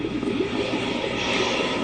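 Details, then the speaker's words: Game console during a test power-on with the motherboard, heatsinks and power supply reinstalled but no drives: an even airy fan whoosh with no rattle or scrape, a normal power-on with video display. "can hear it going through the motions that comes up we have a video display"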